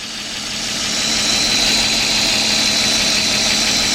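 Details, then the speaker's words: 2004 Nissan Maxima 3.5 V6 with P0301 cylinder 1 misfire: idle turns shaky and uneven with a steady stumble as two cylinders drop out with number six unplugged, running on only four coils. "now look how wide it agrees see only four that means this thing is only running on four so that's only four coils going right there"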